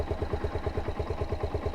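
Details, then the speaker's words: Suzuki SZR 150 engine idling after repair of a timing chain that had made it noisy on first start. Soft, even thump of about six a second with no ticking or chain rattle; quiet, healthy idle. "Diba? Okay na. Normal na sa pandinig ko yung tunog ng makina. Kaya hindi na siya nakakairitang pakinggan."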